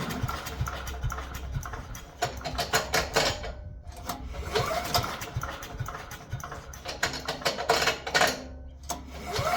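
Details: Abandoned wood chipper with an older 5 hp Briggs & Stratton single-cylinder, stuck valves freed with Deep Creep, fuel added, choke on. The engine catches and runs unevenly with bursts of revving but keeps running.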